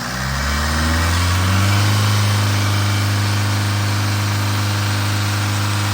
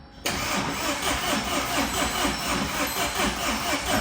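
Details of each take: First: Tata 2.2 diesel 150 hp pickup after rebuild (crankshaft, bearings, oil pump, timing belt, new fuel tank) and injector coding: steady even low idle rumble, no knocks or misses. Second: Tata 2.2 diesel 150 hp, hard starting, stalls, won't rev, noisy, oil dry: catches abruptly and runs rough and uneven; cause scored crankshaft, worn bearings, oil pump not working.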